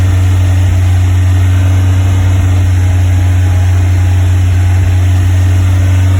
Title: Westfield Misfire 2500rpm